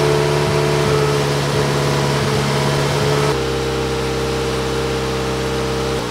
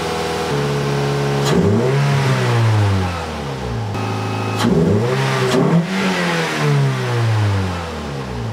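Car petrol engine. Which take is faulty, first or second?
first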